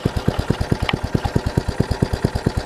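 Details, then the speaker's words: Troy-Bilt Tuffy rear-tine tiller, small single-cylinder engine, reassembled carburettor diaphragm, at full throttle on full choke with a finger over the intake: sharp evenly spaced putts, no steady idle; runs only choked, drawing too little fuel, one screw not fully in. "will run I just hold my finger right here it pulls up and ungass pulls up enough gas to run"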